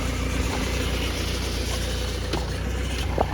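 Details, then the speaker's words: 2011 BMW E91 diesel automatic, ZF 6HP21 gearbox, cold start: steady diesel idle with a faint metallic ring from the torque converter; clutch slips in gear, flares above 2000 rpm; converter or burnt clutch packs suspected, gearbox to be replaced. "Такие звуки она издаёт, как заводишь, звенит бублик."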